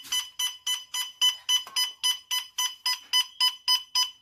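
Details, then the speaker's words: Techamor Y401 natural/propane gas detector, after its 3-minute warm-up, alarming on gas released nearby: fast, even shrill electronic chirps, about three to four a second, nothing else audible; gas smell also noticeable. "it alarms. Oh, I can also smell the gas that it detects already."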